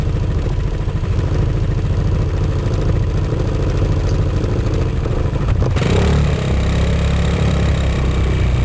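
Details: Gilera Nexus scooter running: uneven clattering rattle over the low engine drone, seemingly from around the back wheel; strange rear-wheel-area noise, cause unidentified.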